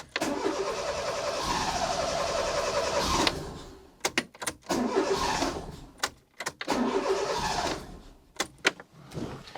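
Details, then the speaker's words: Fiat Panda 4x4 with its turbo kit removed, just after the plugs were cleaned: engine cranks and catches briefly, then stumbles and cuts out in uneven bursts. One spark plug lead was left disconnected. Misfire. "I don't think I fitted the spark plugs cable right. I can hear, oh, I forgot the last one. That won't help."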